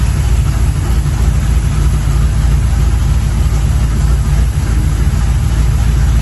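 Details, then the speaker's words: 1983 Chevy C10 with a used-parts 350 V8, first start after swapping the Quadrajet for a Holley 4150 750 carb, later leaned about half a turn per side: steady, even, deep idle with no misses or knocks, snappy and healthy. "let me tell you guys this is a night and day difference this engine is Snappy like it's oh it it sounds good feels good"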